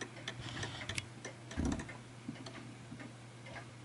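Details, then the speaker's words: Art Deco chiming mantel clock being nudged toward center; clear ticks about twice a second with slightly uneven gaps, tick longer than tock; clock slightly out of beat. "So I can hear that ticking quite nicely, but it's not perfect, so bear with me."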